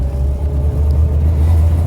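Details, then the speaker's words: Austin Allegro petrol engine, warm after driving home, idling with a low rumble and uneven dips, audible hesitation; misfiring badly for the last 5-10 minutes since warming up, also runs on after key-off; owner suspects timing issue or blockage. "Luckily we've managed to make it home, but the last sort of 5-10 minutes of the journey it's been misfiring like a pig."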